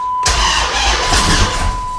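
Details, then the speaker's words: 2006 Dodge Charger that won't start, another shop quoted an engine replacement, cranked with battery on a 13.8 V power supply: starter spins fast and evenly with no compression chug and never catches; low charge thought unlikely. "Now, we've got that power supply on the battery, so I don't think it's a low charge that's causing it to crank like that. I don't like that at all."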